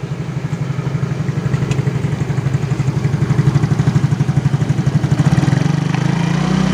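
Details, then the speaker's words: Yamaha X-Ride (Mio engine code 54P) after replacing worn piston and cylinder block that caused rattling when revved at 3000–4000 rpm: normal idle, revs up smooth and even with no clatter; repaired. "tapi ketika digas kita dengarkan ya. Udah halus ya, yang sebelumnya kan kretek gitu ya."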